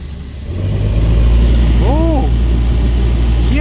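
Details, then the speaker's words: Citroën C2 1.1 saved from scrapyard, after timing belt and water pump replacement and blower resistor refitted: engine idling low and steady as the interior ventilator fan spins up to an even rush, running smoothly; normal blower fan operation. "let's start the car okay so we have climate now let's see if the ventilator will work"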